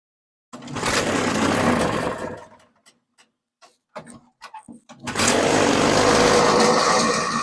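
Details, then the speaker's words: 1980s MTD Snowflite snow blower, sold as a non-starter, primed then started: first burst dies off, a few sputters, then catches and holds a steady crisp two-stroke buzz; it runs. "Well, I'm glad I put my earmuffs on because, man, that sounded like it might have been loud. Okay, so that works."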